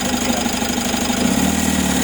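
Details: Mitsubishi 4N41 diesel, first start after replacing the broken oil pump drive gear and oil pump assembly: steady, even idle clatter with no knocks or misses; runs smoothly.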